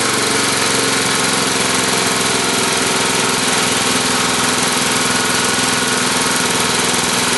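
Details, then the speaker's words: Tecumseh single-cylinder small engine with the air cleaner cover off: a loud, busy drone at steady speed with a rough edge and no clear knock. The crankcase breather pumps gray sludge and vapors and puffs some smoke, with Marvel Mystery Oil in the fuel. Owner suspects blow-by. "I'm going to show you that space where breathe air is coming from the crankcase and you can see where it looks like it's pumping up gray sludge and you also see a lot of vapors coming off of it"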